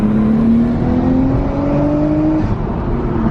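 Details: Nissan R32 with a new turbo, first drive after a boost leak test: pulls cleanly with a smooth rising tone and light turbo whir, no flutter or misfire; healthy.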